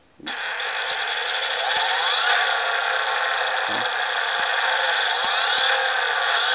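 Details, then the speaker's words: Brushless motor under PWM mark-control torque algorithm: even high electronic whine with faint rising sweeps, running smoothly once power is sufficient. Normal running. "And what I've done there is I've reduced the input power. You see? And now it's nice and quiet, isn't it?"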